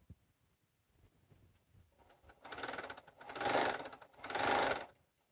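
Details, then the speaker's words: Sewing machine after a bobbin change, thread tension suspected too tight: three short bursts of fast, clattery stitching louder and harsher than normal; the cause of the loud noise is unclear and appears tied to the bobbin. "Still, I just don't remember it sewing this loud. Maybe it's me."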